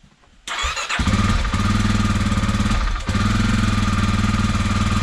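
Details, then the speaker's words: 2021 Kawasaki KLX 300R, fuel-injected single, cold start after the no-start was fixed with a replacement ignition part (Dynojet removed): short crank, then steady, slightly lumpy cold idle with even firing, normal. "that was the problem maybe yeah it's probably just cold it's electronic fuel injected so it has no carb"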